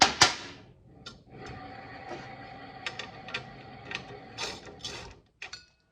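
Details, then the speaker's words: John Deere PTO clutch turned by hand with the three adjuster lock nuts overtightened: slow scraping with metallic ticks as the clutch plates hit. The gap is too small, and the fix was setting the plate gap to 0.018 in. "If I tighten them any further, it starts to, here."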